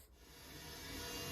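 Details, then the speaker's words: Korg M1 synthesizer with no-sound fault: hissy, scratchy interference with faint buzzy tones in the output, traced to the effects chip's five dynamic RAM chips; replacing one faulty DRAM chip cured the noise. "So as you can hear, there's a lot of interference coming from this, and what you've got here is some voice chips, which are Korg specials. This last one is an effects chip, which does the sort of reverb, echo and filter and all that sort of stuff. And that uses these 5 dynamic memory chips here."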